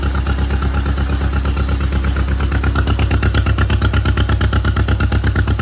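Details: John Deere Model M running after at least 15 years sitting in the woods, with fresh oil change and a rewired generator lead. Slow, even two-cylinder putt-putt beat staying regular with no skips or knocks; normal idle.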